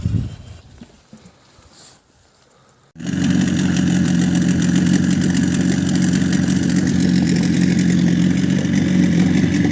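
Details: Outboard boat motor after fixing air leak at fuel filter threads (sealed) and re-tuning carburettor (mixture two turns out) at +5 °C; quiet, then fires and settles into a steady even idle, warm, no sneezing; fuel still drains from primer bulb on standing, pump suspected.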